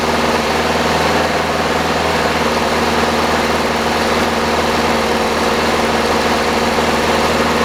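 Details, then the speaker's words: 1985 Chevy Cavalier CS wagon, first start after long storage: loud, steady drone with a fast, even high idle from cold, blamed on throttle body problems; bad motor mounts, engine due to be pulled. "It's going to idle very high. It's going to be very loud and it's probably going to clatter, make some other noises."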